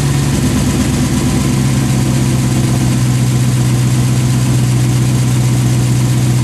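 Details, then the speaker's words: 1988 Lamborghini Countach replica after fixing a fuel starvation no-start: smooth, steady low idle hum with an even beat, no stumbling or surging; fuel delivery restored. "there you go fancies came on really Casey's on let it run for a while particularly 10 minutes to kick on and c"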